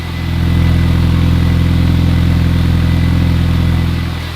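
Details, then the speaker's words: Supercharged Mini Cooper S, off the road over 3 years, started after correcting coil packs fitted to the wrong cylinders, with the exhaust blow welded up: a smooth, even idle with no exhaust chuffing; it sounds healthy. "Sounds pretty nice. I've got to be honest."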